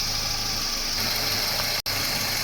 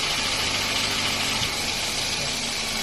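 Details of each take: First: Toyota Wish after AC system flush, new compressor bearing, belt, oil and AC unit, engine idling with AC on: steady, even hum and hiss, no grinding, quiet versus noisy before repair; normal AC compressor operation. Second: Toyota Wish at idle with AC on: steady idle with a thin high whirring hiss over the engine, likely from the compressor or its bearing.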